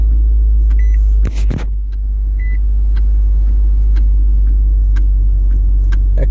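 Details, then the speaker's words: 2018 Nissan Altima at idle with the brake pedal pressed, heard near the gear shift. Sharp dry clicks as the shift interlock solenoid unlocks, delayed by a faulty brake light switch that causes no-start/no-shift issues. "that's the gear shift interlock unlocking so you can pull back on the gear shift"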